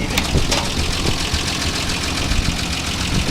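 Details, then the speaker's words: 1948 Ford F1 truck, hood open: even low rumble at a steady idle with no misfires or knocks; runs like a top and starts right up every spring. "as you can hear this thing runs like a top it starts right up every spring"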